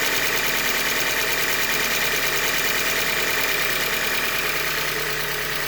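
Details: 2015 Hyundai Elantra Limited, 91,000 km, idling with a steady rapid metallic bottom-end knock, about two per second, over a bright clattery top end; short block failure from a manufacturing defect.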